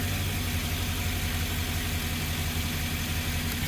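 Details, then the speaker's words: 2013 Ford E150 van after replacing the melted spark plug, engine had sat about an hour: a steady, low V8 idle with an even pulse and no miss. Smooth, normal idle. "oh there you heard the motor making noise and it's only been sitting for an hour maybe it sounds smooth"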